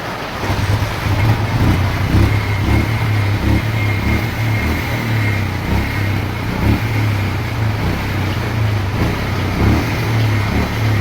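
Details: Bajaj Pulsar 150 with a low battery, idling with an uneven, stumbling beat as firing strokes drop out; water in the fuel during rainy season, tank and vent hole clogged.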